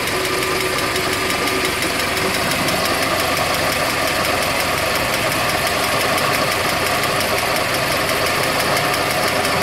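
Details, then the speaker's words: 1987 Mitsubishi Mighty Max / Dodge Ram 50 four-cylinder, four-wheel drive, manual transmission, idling steadily with a fast, light ticking running through the sound; new ticking first noticed that morning. "So here's the ticking sound that I've been just experienced this morning."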